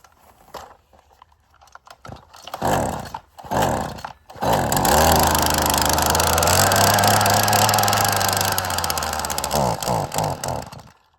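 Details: Weed trimmer after throttle cable reattached and fuel primed, tested outside: three short pull-start bursts, then catches and holds a steady even buzz; runs properly.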